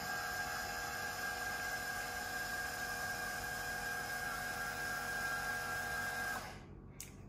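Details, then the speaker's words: Runxin F67P1 automatic filter valve entering settings mode: steady even motor whir with a thin high tone for about six seconds, then cuts off cleanly; normal motor cycling. "once we've gone you can hear the motor running once we've gone over to this automatic flashing mode it's going to go into our settings mode"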